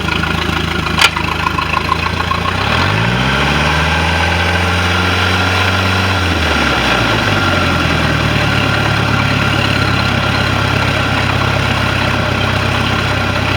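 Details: MerCruiser I/O sterndrive that wasn't pumping water at idle, final run after repair, its upper-drive water tube grommet found not sealing: in gear, picks up a little throttle then settles to an even, steady idle, no knocks or misses; normal.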